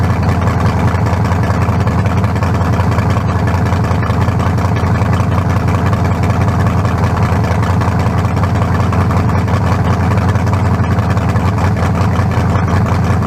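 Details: 1974 Nova's new low-compression turbo small block (40-over, 3.48 stroke, forged pistons; replaces a 388 with a cracked cylinder wall), run without turbos yet: deep, lumpy, even idle with no knocks or ticks, judged better than the 388. Normal idle.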